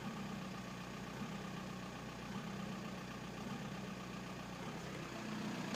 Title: 1999 VW Bora/Jetta AJM 1.9 TDI 85kw bad injectors